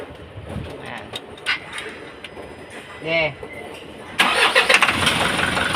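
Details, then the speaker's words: Isuzu 4HL1 diesel, final start after a cranks-but-won't-start fix and refitting accessories: it catches after about four seconds and settles into a steady, even run with no stumbling, no longer rough as before. "Okay na siya mga kaayos umandar na pa paung andar niya an maganda na po yung andar niya hindi na po tulad nakaraan na garalgal po siya at saka yado"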